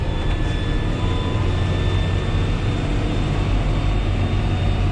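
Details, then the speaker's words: 7530 tractor climbing a hill under load; deep steady diesel pull with a clear, high, even turbo whistle over it; normal turbo whistle under load. "hear that turbo whistle i could hear that turbo whistle"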